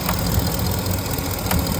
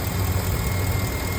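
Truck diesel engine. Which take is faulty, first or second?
first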